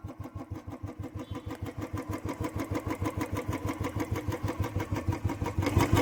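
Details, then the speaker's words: Royal Enfield Bullet 350cc single, just kick-started cold after standing a month and a half in winter: slow even thumping idle about three beats a second, steady; healthy. "अभी ये मैंने start कर दी है। देख सकते हो आप ये इसकी आवाज है 350 सीc वाले इंजन की आवाज"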